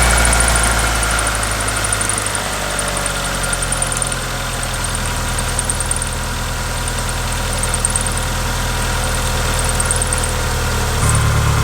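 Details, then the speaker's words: 1997 Mitsubishi Eclipse GSX with a known major oil leak and low oil, idling evenly at a steady pulse with a brief dip and recovery, no knocking or rattles; it sounds good. Normal idle. "so it sounds good i'm gonna go ahead and turn it off and check the oil again"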